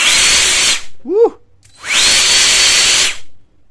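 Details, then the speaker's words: APR cordless 20V LXT turbo jet fan with a replaced variable switch, running without its casing or rear grill; two bursts of loud, high, steady rushing whine that spin up and cut off cleanly; about 90 dB at 30 cm; fan motor runs smoothly. "Jadi tanpa adanya grill atau penutup yang belakang, untuk suaranya maksimal di 90-an desibel saja."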